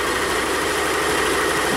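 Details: Used 2021 Yamaha XMax 125 Blue Core Euro 5 scooter engine fitted as a replacement and test-run; smooth, steady idle with even hum and no knocks or rattles; normal idle.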